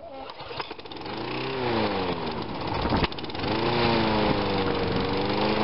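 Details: Small engine with a cleaned ignition coil reading a stable 2.2k ohms. The pull-start catches, revs up and settles into an even, steady run with no misfire; normal running.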